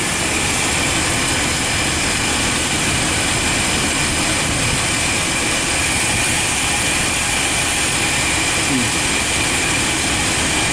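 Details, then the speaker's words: 1996 GMC 1500 pickup 5.7 engine idling during a vacuum-leak check with parts found missing; constant idle under heavy hiss, rpm not changing or falling off; cause unconfirmed, owner suspects a dirty mass airflow sensor next. "I guess if you had a leak, this is what it should sound like. Oh, heck, it ain't changing."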